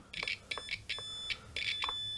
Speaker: we get a sound because the ground connection is complete. And the same thing if we touch the bridge.